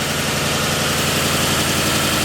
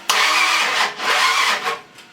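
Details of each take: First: Freshly built Ford 302 roller V8 with new cam and new Rotella 15W-40 oil, after correcting the distributor installation: steady, even idle with smooth firing, no misses, knocks or hunting, oil pressure just below 60; normal idle. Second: Ford 302 engine with a new cam, first start attempt after install: fast cranking catches in two short ragged bursts, then dies; won't keep running, ignition timing/plug wires off, possibly 180° out.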